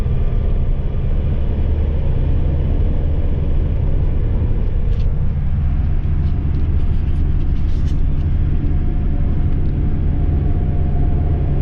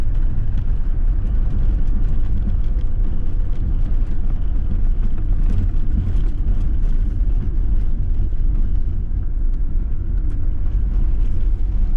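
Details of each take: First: Ford Transit Mk7 front-wheel-drive van, driver's side front wheel bearing rumbling for a couple of weeks, recorded while driving before replacement: steady, deep, low-pitched droning rumble at road speed; worn wheel bearing. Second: Ford Transit Mk7 front-wheel-drive van on a test drive after replacing the driver's-side front wheel bearing, which had been rumbling for weeks. Steady, even road rumble with no hum or growl rising with speed: normal quiet driving, bearing noise gone.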